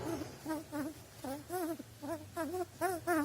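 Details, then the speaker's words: Alfa Romeo 147/156/GT front suspension control arm rocked by hand off the car: short rubbery squeaks two or three a second; the non-vulcanized inner bushing has lost its factory synthetic grease and run dry. "so what what is the deal here from factory this bushing in this center it's free one from from another and they have they have here a special grease"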